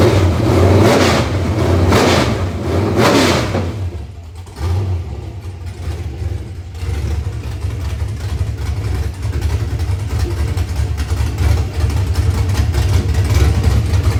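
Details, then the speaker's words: Freshly built 6.0 LS (LQ4 block, flat-top gen 4 pistons, 243 heads, custom NK Performance cam 220/230 at .050, 108 LSA, .595 lift, long tubes) on engine stand: deep even lumpy-cam V8 rumble revving cleanly, no knocks; healthy. "Sounds awesome. This is probably one of the most rev happiest engines that I've put together yet."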